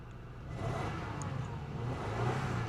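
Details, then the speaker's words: 2000 Toyota Camry V6 bought sight unseen from insurance auction: low, steady engine hum with no stumbles or skips after earlier misfiring stopped; A/C running ice cold; engine running really well at the moment. "It's running great. Don't try to change my mind. It's a junk car. Does it have a check engine light? It's actually running really Don't do this to me. It's actually running really well."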